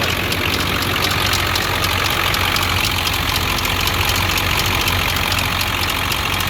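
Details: Ford 7.3 Powerstroke diesel idling with a fast loose clicking about three ticks a second; ticking at idle, cause unconfirmed, oil found lower than it should be and topped up.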